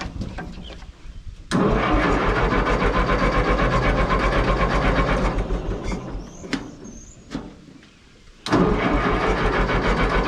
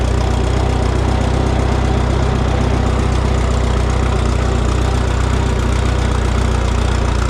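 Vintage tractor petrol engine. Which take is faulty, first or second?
first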